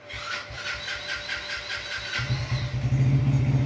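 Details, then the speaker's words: New 2025 Crown CR 100 single-cylinder bike, battery run down from standing: starter motor whirs about two seconds, then the engine catches cleanly on self-start and settles into steady idle; normal electric start. "अभी नया bike है ना, खड़ा हुआ, battery down हो जाती है इसकी, लेकिन स्टार्ट हो गया है, सेल्फ स्टार्ट से ही हुआ है।"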